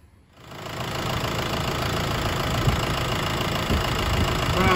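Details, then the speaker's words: A 2010 Jeep Patriot 2.0 CRD diesel (VW 140 PD TDI) on its first start after resealing the sump, oil topped up: it settles into a steady, even idle with the usual light clatter and no misses. "I'm going to fire up the engine for the first time since uh renewing the sump or resealing the sump whichever job you were doing"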